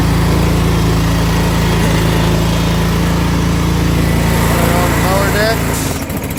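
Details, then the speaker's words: 2019 Bad Boy Rogue mower, Briggs & Stratton Vanguard 993cc EFI 37 hp engine with 1.2 hours on it: a steady drone that sags and fades when the deck is lowered and takes load. The engine bogs and surges; cause was a bad ignition coil. "so see I'm dealing with something is terminally wrong with this engine with one hour on it doesn't have the power to pull itself"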